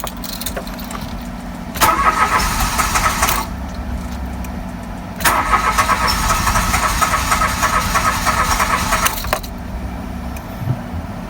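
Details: Brand-new car with hard starting: two long cranking bursts, the second about four seconds, engine never clearly firing; cause unknown.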